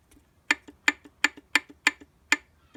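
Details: Yamaha R6 RJ09 (2003-2005), first gear: sharp, evenly spaced metallic ticks about three per second with little engine noise behind them. Addressed by replacing the gear 1 sprocket.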